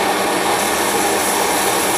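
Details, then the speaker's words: MSR XGK EX military multi-fuel stove burning white gas with XJ jet, vaporized and hot, at blue flame with more fuel added: steady, even hissing roar, no sputter or pulsing; burning clean at full output. "once it starts to vaporize and gets hot enough you'll notice the flame starts getting higher it starts pulsating and it's going to turn into a nice blue hot flame burn really clean"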